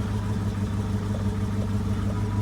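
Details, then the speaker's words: 1966 Ford Mustang convertible V8 idling just after cold start, warming until temp gauge reaches normal range: smooth even low rumble, steady beat, no knocks or misses; normal warm-up idle. "so going let her idle a couple minutes get up the temp and away we go"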